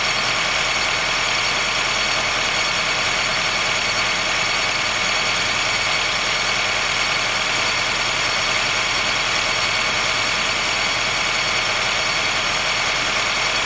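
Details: 2013 Honda Fit Hybrid (FIT3, DAA-GP5, L Package), cold start below about 10°C; constant high thin squeal and creak with no clear rhythm over a quiet idle. It stops once warm; dealer saw no warnings, judged it harmless; source unknown.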